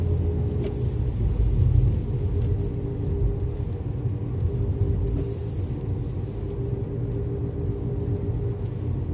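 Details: Alfa Romeo MiTo whining after driving through floods: steady low growl and hum under road rumble while driving, eventually traced to a worn driver's side front wheel bearing.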